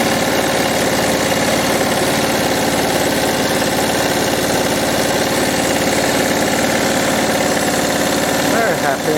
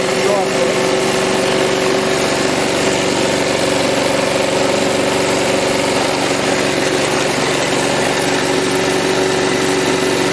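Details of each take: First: Lawn mower single-cylinder engine during repair/overhaul, with a lot of compression and no brake: firing fast and even with no knocks, misses or rattles; running healthy. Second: Old lawn mower being assessed for overhaul, first run: steady small-engine idle with a thin constant whine; noise from the top of the firewall area, sounding like something tightening, source unconfirmed.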